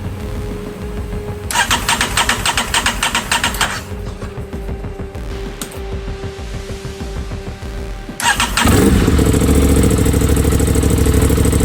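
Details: Rebuilt crashed 2023 Aprilia RS660 with new fuel pump fitted, first start: pump heard priming, starter churns, then engine catches and settles to fast even idle with firm regular pulses; starts and runs cleanly.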